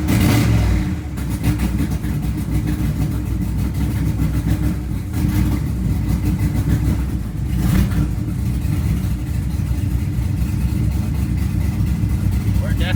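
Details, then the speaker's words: V8 rebuilt and back together: a lumpy, stumbling idle with an irregular beat and loud puffing from a manifold leak; one cylinder is not firing, and the owner suspects the worn plug wires. "missing a cylinder still that's definitely still not firing on one of the cylinders man manifold leaks like a sound"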